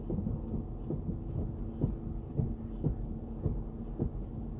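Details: Chrysler 300C while braking: light regular taps about twice a second over low road rumble; tapping noise from the brakes when pressing the pedal, cause not found.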